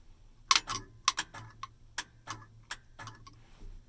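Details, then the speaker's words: 1965–1970 Chevy/GMC C10 truck after fitting a Grant GT steering wheel and horn button kit: battery below 12 volts, so pressing the horn gives only sharp, uneven clicks about two a second and no horn tone, the relay clicking without sounding the horn. "So if my battery were up to 12 volts, it would be honking right now, but this is the low battery actually just happens to work perfectly for demonstration, so you can just hear that little click without pissing off the neighbors."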